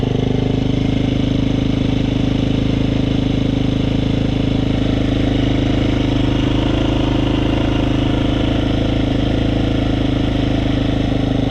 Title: Husqvarna fe 350 rattling noise at 3 hours